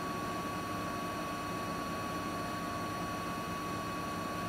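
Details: Siemens iQ300 8 kg, 1000 rpm washing machine spinning wet laundry at about 1000 rpm: steady even rushing whir with a faint constant high tone and no knocks or thumps. Normal spin with no fault.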